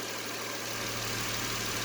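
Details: 2010 Nissan Maxima 3.5 V6 warming up after ignition coil and intake manifold gasket replacement for a cylinder 5 misfire: smooth, even idle with a steady low hum and no misfire stumble or ticking; runs fine.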